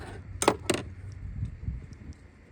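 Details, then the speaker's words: 2008 Subaru Legacy PCV (rattle) valve shaken by hand: just two slow, dull clicks rather than a crisp free rattle; sticking PCV valve, could be cleaned but replaced with a new Subaru part. "can hear it, but it's kind of slow."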